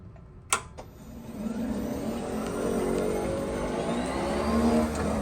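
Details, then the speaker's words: Club Car DS 48-volt golf cart that would not run (solenoid clicked): after the loose wire was reconnected and tightened, key on and forward selected, a couple of clicks then a smooth rising whir as the cart pulls away; the brief spark on connection was normal, and the drive motor runs properly. "you can see it runs all right so even there was spark there when I hit the gas that was normal"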